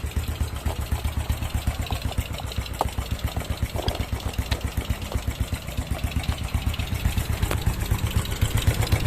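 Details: Smash single-cylinder motorcycle that wouldn't start, with a carburetor problem: fairly even beat about four pulses a second, slight unevenness but steady; running normally again.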